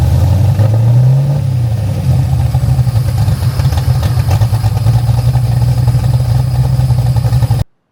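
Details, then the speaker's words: 1974 DeTomaso Pantera GTS with 427ci Ford Racing small-block V8, MSD EFI, started in engine compartment after belt correction; deep V8 rumble climbs then settles even and throaty with no belt squeal; healthy running. "You can hear there's no belt squeal."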